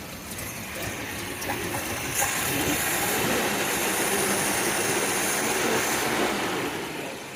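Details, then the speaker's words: 1985 Volvo 740, Weber 32/34 DMTL carburettor jetted for E85, sat over a year, after fuel poured in: engine catches into a ragged uneven run with a coarse hiss; smoky, getting way too much fuel, jets need replacing. "because I think it gets enough fuel definitely smoky so yeah this is why we need the carburetor sorting out we need those Jets replacing because she's getting way too much fuel"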